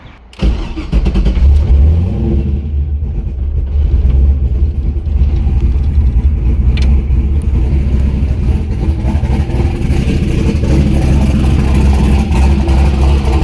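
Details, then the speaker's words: Turbo LS V8 Miata after exhaust heat wrapping and V-band joint realignment, kept from getting too hot: cranks and catches within a second, then a deep steady burble with light revs, no ticking or leaks; runs normally and still sounds good. "Not get it too hot because I still got other things I want to do, but it still sounds good. It's not bad."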